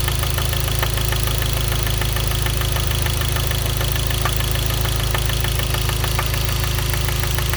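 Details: Hyundai Genesis 2.0T idling: sharp regular knock about three per second, a spun rod bearing from oil starvation blamed on a poorly made oil pump; no oil light, oil pressure warning or limp mode.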